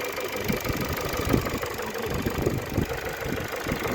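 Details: 2012 Ford (Focus) with robotic gearbox, idling after restart: uneven idle with dull irregular knocking inside engine, runs inconsistently; source not identified.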